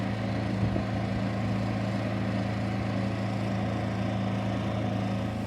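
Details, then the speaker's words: New Champion 11000 W tri-fuel inverter generator, sound check from 23 ft at 25% load; even, steady low hum with constant pitch, no surging or knocking; normal running under light load. "Okay, a sound check at 23 ft and 25% load."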